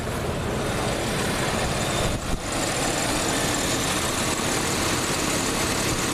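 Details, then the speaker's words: Stock 1987 Plymouth Gran Fury V8 with an audible smog pump, which stalls when loaded though a carb issue was suspected: smooth, steady idle, even low rumble, no knocks, misses or surging. Starts right up. Normal idle. "it idles 100% just runs great starts right up I don't ever really have problems with it starting but uh and it does seem to sound good what you can hear of it so kind of can rule out mechanical problems I believe"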